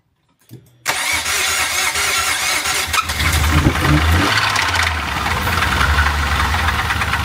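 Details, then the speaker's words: Previously rebuilt Nissan Altima started on a 15-volt boost. It catches after a brief crank and a heavy rhythmic knock starts at once over the idle, with oil smoke that smells like a two-stroke. Rod knock; the engine is done. "she's done she's [Music] done that's done huh that's a rod"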